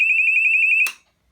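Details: Fire alarm sounder on a homemade setup (JSB FX2204 system test with MB fire alarms), wired to its own sounder circuit rather than a proper panel: a loud, steady high-pitched warble that cuts off cleanly after under a second. Normal sounder operation.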